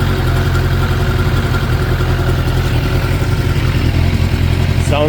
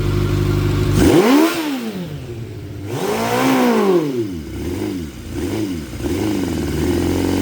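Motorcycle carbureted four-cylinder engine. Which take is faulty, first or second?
second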